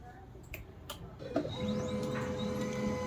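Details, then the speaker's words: HP LaserJet M1005 MFP printer, previously stuck on continuous initializing, powered on after repair: a few clicks then motor spins up to a steady even whir; normal initialization, printer ready. "Initialising हो रहा है, sound सुन पा रहे हैं।"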